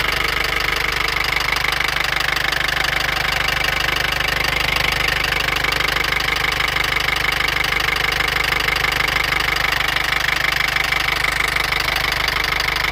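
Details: Mercedes ML250 CDI with OM651 diesel at idle: a sharp, regular metallic knock about three times a second rides clearly over the idle; an engine knocking fault.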